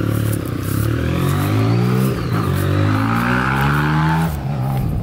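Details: 30-year-old rebuilt BMW cafe racer motorcycle, first run since February after new front brake master cylinder, reservoir and indicators: strong even exhaust note rising and falling as it rolls past under throttle, no knocks or misses; normal running.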